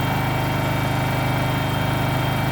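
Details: Kohler engine in a Terramite T5 mini loader, which previously would not stay running, after fuel pump replacement: steady, even low thrum with a smooth regular pulse, no misses or knocks; idling normally.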